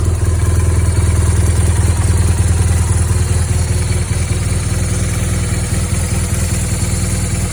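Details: 2010 BMW R1200GS Adventure with 27,000 miles, engine idling with a steady low throb and a faint regular clatter on top; the source of the noise is unidentified.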